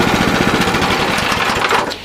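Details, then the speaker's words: Sears 26" snow blower with newly installed 6.5HP Greyhound (old Predator) Honda clone engine: brief burst of rapid, even small-engine firing without knocking or rattles before dropping away; normal running, no bad sounds. "it sounds good no bad sounds all I have left to do is make sure everything's tight and put the covers on it"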